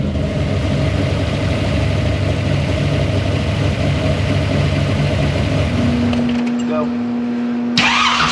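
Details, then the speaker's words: Monte Carlo engine swap V8, third start attempt after refitting distributor, checking for oil pressure: strong, steady even beat for several seconds with no knocks or ticks, then drops away; oil pressure finally present, runs healthy. "ready all right we got oil pressure finally finally okay"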